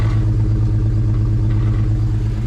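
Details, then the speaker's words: 2020 Jeep Gladiator at idle and in reverse, strong raw fuel smell, check engine light flashing with service auto start-stop warning: choppy uneven idle stumbling every few strokes; cylinder misfire. "yeah so and then is there right there so yeah service auto start stop and the check engine lights flashing so that's a misfire"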